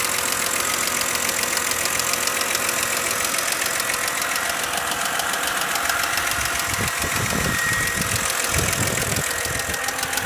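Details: 2008 BMW 528xi with 117k miles: loud, fast metallic ticking, about three or four per second, from the running engine, increasing as rpm rises; cause unknown.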